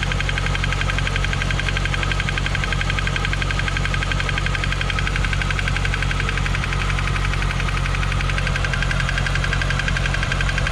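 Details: 2015 C7 Corvette Z51, six-speed manual, Edelbrock supercharger, 80,000 miles, at idle. A light regular tick of about three per second is suspected AFM lifter failure, first thought to be cylinder 7 on the driver's bank, later sounding from the front.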